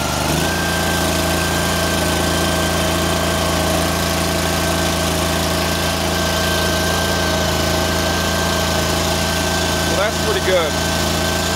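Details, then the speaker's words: Cub Cadet 1440 small engine at idle after electrical repairs (battery cable ends, fuse holder, key switch): steady low firm thrum with no misses, holding speed; now charging at idle and dash amp indicator stays off. "now we'll sit there and we'll actually charge an idle where we weren't charging an idle before"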